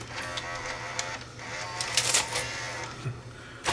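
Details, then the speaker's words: Sony SLV-R1000 VHS VCR after a customer's failed blue-gear repair: motor whir, clicks and a brief scraping rush as the tape fails to thread and snags partway. Possibly because cleaning alcohol hadn't dried; it loaded fine on retry. "might have been because uh the alal had had not completely dried but it certainly got hung up on something"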